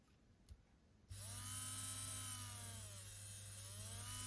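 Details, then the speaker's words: N gauge Class 37 locomotive motor powered directly at its terminals after the brass contacts were bent out to touch them. Steady buzzing whine with slight pitch waver; the motor runs fine. "You can hear the motors working fine there, can't you?"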